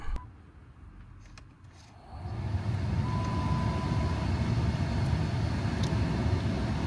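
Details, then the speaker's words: Dodge Charger A/C cabin blower after replacing a noisy blower motor with a used junkyard unit: after two quiet seconds the fan comes on with a smooth, steady rush of air and no rattle, normal operation. "there it is sounds way better don't have all that noise from the last one anymore"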